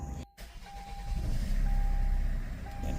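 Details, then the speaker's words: 2012 Kia Sorento (loss of power, hard starting, P0087/P1186) after repair: engine catches quickly without the previous extended crank and settles into smooth steady hum, revving out clean; normal start. "and now you know it started much easier you dig it not sound like it's struggling to start up like before right you know also reving out real clean too"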